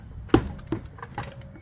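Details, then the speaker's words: Dodge Charger front end, wheel hanging and rocked by hand: hollow irregular knocks, a loose clunk like a loose rotor but not; worn front hub bearing play, both sides similar, hubs to be replaced. "I'm getting a little play in the bearing both sides are about the same almost sounds like a loose rotor but it's not"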